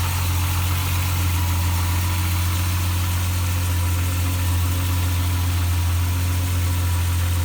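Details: Mk2 VW GTI 12-valve after its blown engine was replaced; it usually needs a few cranks because of the mass sensor's positioning: a steady, even low hum with no misses, knocks or ticks, a smooth healthy idle.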